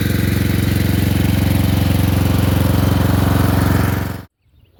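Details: Murray Select 30-inch riding mower being fixed up, mowing on a slight incline with an unsharpened blade: steady, even single-cylinder drone, no misses or knocks, then shuts off; cut decently, runs normally under load.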